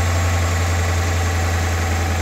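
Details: 2011 Dodge Ram 1500 Hemi V8 on a cold start: deep steady rumble with no ticking or tapping; earlier tapping noise gone since switching from Castrol Edge to Pennzoil Platinum Ultra 5W-20; only a slight exhaust rattle noted lately.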